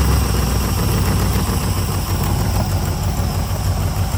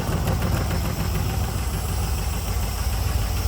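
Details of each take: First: 2003 LM4 aluminum 5.3L Gen 3 LS V8 on test stand with Holley dual-plane carb intake, fuel in the bowls, idle cranked back up: deep, steady burble with even firing pulses, no ticks or knocks; tone preferred over Flowmaster; smooth, healthy carbureted idle. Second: Rough-idling 2003 LM4 aluminum 5.3 LS V8 on a run stand with Holley LS swap headers and dual-plane carb intake (1971 El Camino swap): sharp ticking puff on each firing pulse, bad exhaust leak; header bolt likely under-tightened, broken-off studs, reused gaskets.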